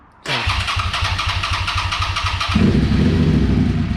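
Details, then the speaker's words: Suzuki SV650 motorcycle after rebuilding the OEM fuel pump: catches straight away and settles into a steady, even idle with no stumbling or pump whine; previous fault only showed under throttle once fully warm. "sounds healthy huh so the problem last time that happened was it idled fine and it revved just fine and it rode around at low speeds no problem"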